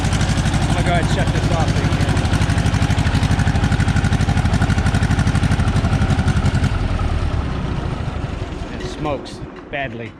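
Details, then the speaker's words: Tractor freshly started after being flooded, oil spewing from the top of the head: loud, lumpy, uneven beat at about two pulses a second before it dies; sounds like it is running on only 3 cylinders, cause not yet confirmed. "it and it started up. But it doesn't sound very good. Let's see if I can get it started for you guys. Just hold on 1 second. Sounds like it's only running on 3 cylinders, but I'm gonna have to look into it."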